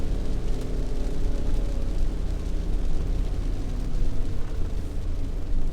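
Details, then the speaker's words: Yage, driving before repair: very loud steady low rumbling growl ("gulu gulu") under road noise, no clear rhythm, louder with speed; worn wheel bearing growl, bearing then replaced. "咕噜咕噜咕噜咕噜咕噜咕噜咕噜咕噜。大家注意听哦。"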